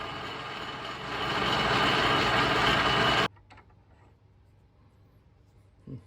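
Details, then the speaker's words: 1940s 14-1/2" South Bend lathe threading with an insert: loud steady cutting whir builds under load, then cuts out abruptly to near silence; the lathe stalled in the cut, probably chipping the insert. "Well, I'm not exactly sure what happened there, but I seem to have stalled my lathe and probably chipped this insert."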